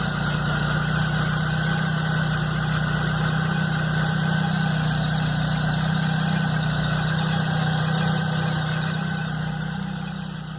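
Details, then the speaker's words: Chevrolet Blazer idling cold the morning after a mechanic replaced the timing belt, upper accessory belt and alternator belt; a loud, constant drone over a steady idle. It sounded normal at the shop the day before; the source is unknown. "quando foi de manhã no outro dia a hora que eu fui ligar o carro o barulho estava fazendo aí eu liguei o barulhão que estava fazendo"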